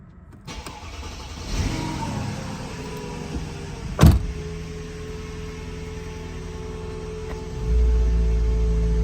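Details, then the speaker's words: Mercedes with AirMatic, heard from inside the car: with no air in the system, the compressor starts with a low steady hum, but the suspension stays dumped and won't rise. Then an AirMatic Visit Workshop warning appears; cause not confirmed. "Compressor's kicking in. I can feel it and I can hear it. Nothing on the dash, so let me get out and see what's going on. Everything's still dumped."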